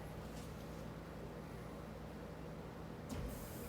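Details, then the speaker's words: Bosch dishwasher with a known glitch of draining instead of filling (float valve or circuit board suspected), after a door open-shut workaround: steady low hum with a faint water rush that keeps going without cutting out; normal water fill. "It's going to start filling. And as soon as you hear it start filling, wait a second, and it stops."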